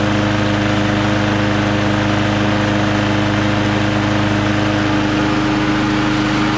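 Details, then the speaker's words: Lawn-Boy Quantum magnesium-deck mower with black oil, started on choke; steady even buzz at constant speed, no misfires, surging or knocking, running normally. "let's choke it again now it sounds good hey i have a feeling this thing might work"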